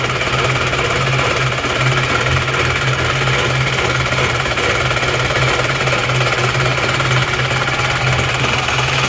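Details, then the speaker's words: Isuzu Panther diesel, low power, nozzles serviced, compression good at about 28 bar: harsh, hard clatter over a steady idle, noisy and vibrating into the cabin because injection pump timing is too far advanced. Diesel knock from over-advanced injection timing. "Suaranya galak ya, lalu maju timingnya. Kita coba dulu jalan raya. Tapi mesinnya sangat berisik, kalau dipakai jalan berisik, kerang gitu."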